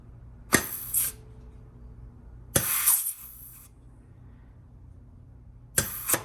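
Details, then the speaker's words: GM 4L60E rebuild, air check of the 3-4 clutch pack: short hissing air bursts from the bleed hole, each ending in a firm crisp clunk; positive normal apply. "and again what you're looking for is very positive apply now you will hear some hissing coming out of this bleed hole"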